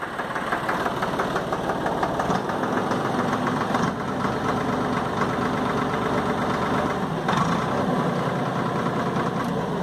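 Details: Valtra A750 three-cylinder diesel tractor, earlier misfiring, some air bubbles may remain; idles with a steady, even knock rhythm and no dropouts or stumbles; normal idle.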